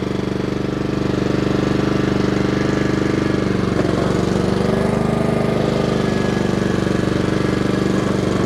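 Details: Honda HRR216 lawn mower after winter storage, even steady single-cylinder beat at constant speed with no knocks or misses; runs smoothly and healthy.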